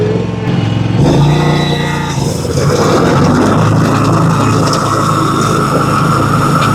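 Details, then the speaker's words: John Deere 757 Z-Trak zero-turn mower after the fuel problem was fixed: the engine pulls steady and even while cutting grass, with no surging or stumbling under blade load. It is running normally. "See how she's gonna act now. That sounds a lot better. Let's go see if she'll cut."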